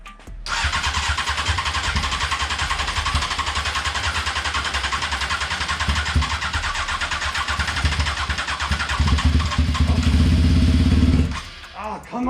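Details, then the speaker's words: Honda F4i sport bike, first start after the fuel pump wasn't priming: fast steady starter churn for about ten seconds, then the engine catches and roars as fresh fuel reaches it. Extended cranking before starting. "right okay well hey at least it turns over that's a start [Music] all right it just started to get the good gas into it"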